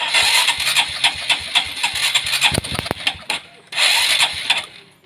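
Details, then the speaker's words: Honda Supra X 125 carbureted motorcycle, hard to start and sputters on throttle: repeated starter cranking, engine catching briefly then dying; ignition and fuel line checked normal, carburetor main jet found detached. "Ini cukup sulit, teman-teman. Starter mesinnya sudah tidak berfungsi lagi."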